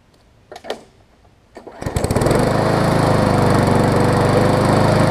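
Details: Briggs & Stratton Classic push mower engine: a few pulls, then it fires and holds an even, steady beat with no misses or knocks; healthy running.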